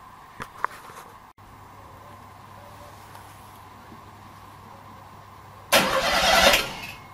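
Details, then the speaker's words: NSU engine with torque converter, cranked after oil hose work to flush oil and check oil pressure: quiet hum, then a strong, even burst of cranking with no grinding or clatter; cranks freely, normal cranking. "That sounds happy."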